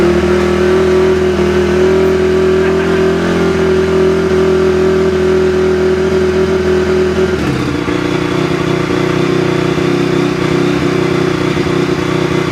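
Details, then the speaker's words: 2004 Honda CRF250R after valve adjustment back to spec (was hard starting), leak-down 6%: engine runs strong and even with steady firing, settling smoothly off throttle; normal running. "All right, guys, now that the valves are back in spec, let's give it a shot and see how it starts. Oh yeah, you can feel it."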